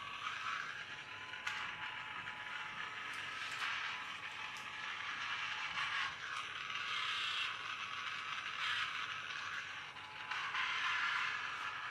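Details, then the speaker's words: Charity-shop Magic Track toy car labouring on its track: light plastic clicking and ratcheting in uneven bursts, like gear teeth skipping; owner suspects a slipping or broken gear, to be checked by teardown. "well I also feel it sounds like gear is slipping so might have to fix that"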